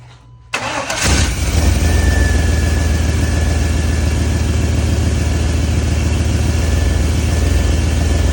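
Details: 1994 Chevy Silverado C1500 5.7L 350 V8 after new fuel filter, lines and sensors, with the distributor set to zero: a brief crank, then it catches and settles straight into a steady, even idle with no stumble; healthy start.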